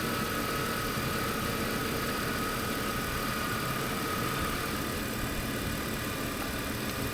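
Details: BMW E46 M52tu straight-six idling after DISA valve replacement: soft, steady hum with even beat, no misses, knocks or hunting beneath a constant hiss; idles normally.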